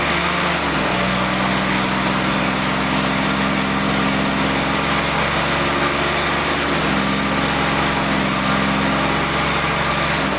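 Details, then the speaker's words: Freshly rebuilt CJ5 snowblower Jeep F-head four-cylinder, original cam, held at fast idle with revs fluctuated for cam and ring break-in: smooth even steps up and back, no knocks or ticks; normal break-in run. "Okay guys, I think you see what's happening here. We're just fluctuating the RPMs."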